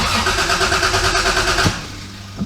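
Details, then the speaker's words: MK3 Toyota Supra revived after sitting for years, on a jump box after a loose positive terminal fix: quick, even starter cranking about 1.5 seconds that never catches; no fuel, pump not heard priming because it was unplugged. "it really doesn't feel like i'm getting any fuel still i'm not hearing the not hearing it prime either"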